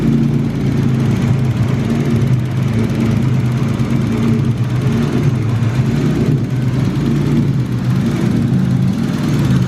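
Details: BMW E36 with M50B30 turbo engine, first start after heavy duty clutch install and coil pack refit: deep even rumble holding steady speed, no misses, knocks or surges; healthy idle.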